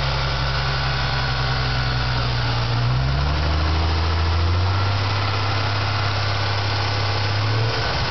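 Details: Ford Mustang V6 at idle with a noise between 1000 and 1500 rpm: light, quick knock tapping with engine speed; others say lifters, owner fears a rod bearing knock; cause unconfirmed.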